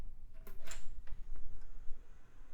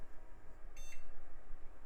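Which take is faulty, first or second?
first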